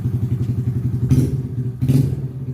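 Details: Honda Grom small single-cylinder engine: steady low thumping idle with two quick throttle blips that rise and settle cleanly; healthy.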